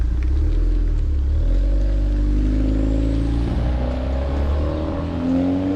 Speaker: As you can tell, light years better. Um, again, the cat and the resonator are still breaking in.